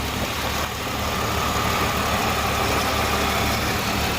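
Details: Hyundai Genesis 3.8L after an engine swap with new timing belt and crank pulley bolt at 224 ft-lb, first start the next morning: smooth, even, quiet idle with no rattle or ticking; earlier noise gone, normal idle.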